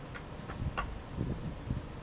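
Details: Mazda 6 GG automatic transmission shifting drive to reverse and back, worse under load on slight incline, regardless of steering angle: dull low thumps about every half second on engagement; clunk when shifting into gear, cause unknown.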